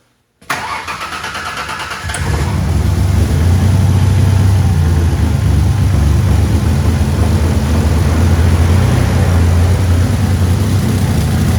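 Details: 2000 Ford Ranger 3.0L V6 after rebuild, restarting only after fuel filter replacement: catches and settles into a low uneven lumpy wavering idle; running rough, cause not pinned down, fuel suspected, not confirmed.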